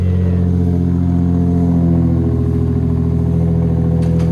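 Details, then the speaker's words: Lexus SC300 on its first cold start after the exhaust repair: deep, even exhaust note with no rattles, blowing or ticking; sounds like a normal car again. Normal running. "Cut it. It sounds like a normal car again. I'm happy."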